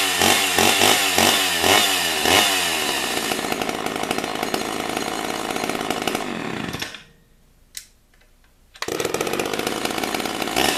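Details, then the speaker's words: Chainsaw (Stihl MS 291 / Husqvarna 455 pair) after new piston and cylinder replaced a scored, seized one: revs hard with a crisp, even two-stroke buzz, drops off briefly, then picks straight back up; strong and healthy. "but I put a new piston and cylinder in it now it's got a ton of compression compression in into it but it does work"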